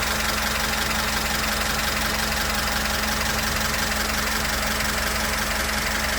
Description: запуск откапеталенного мотора ваз 2102 после установки и регулировки клапанов. Главное теперь хорошо обкатать